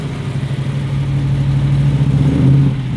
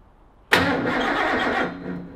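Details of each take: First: Ford XY Falcon GT 351 V8, first start-up after build, timing adjusted and fuel lines primed: deep, even burble with steady firing and smooth rev rise and fall; running healthy. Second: Ford XY GT Falcon with 351 V8 on first start-up after build, fuel system primed by pressurizing the tank: starter spins the engine briskly for about a second without firing, no spark; no start.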